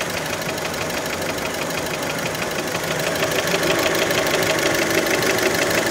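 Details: Fiat Panda engine, warmed up, idle: crisp, even knock around three per second following engine speed; many suspect piston skirt (piston slap), not confirmed.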